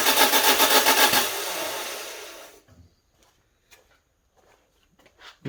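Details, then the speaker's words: Citroen Berlingo Multispace Mk1 that won't run and shows a crank position sensor error: quick, even cranking at about four beats a second that never catches, with a noise like a pressure release somewhere; cause unknown. "usually makes a worse noise than that it's like a a release of pressure somewhere or something something's going on"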